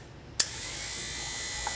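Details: 1969–1976 Corvette wiper motor bench-tested: a sharp click as the relay drops, then a steady high-pitched electric whir, running normally in high, low and park positions.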